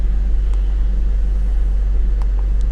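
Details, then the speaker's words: BMW E39 after the fix for a no-start and rough running with code P0335: it starts right up and holds a smooth, steady, even idle with no misses, knocks or surging. "ean it's just as good as what it should be all right go and start it start right up no problems at all"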